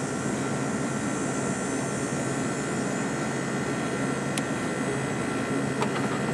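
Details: 1989 Carrier International Series window air conditioner with GE fan motor, compressor and fan running, air getting nice and cold: steady even hum with a faint high tone, no knocks or rattles, working properly.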